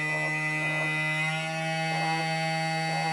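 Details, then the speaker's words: TBS Discovery multicopter, second original G brushless motor, balancing attempted unsuccessfully, vibration checked with phone seismometer app: buzzy whine with slow rhythmic roughness; out of balance, strong vibration felt on table when revved. "I have now mounted another G original engine and this one I have tried to balance but I won't success and uh you can hear the sound of the engine that is quite different to the first one and the vibrations"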